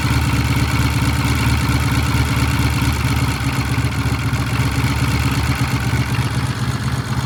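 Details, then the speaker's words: Vintage British motorcycle after 5-speed gearbox repair, started on one kick and warming up: deep, lumpy but steady thump at idle with no knocks or rattles; great idle, though throttle cables need freeing. "Boy, it sounds good, doesn't it? Yeah. That's a great idle right there. Boy, you can't beat that with a stick."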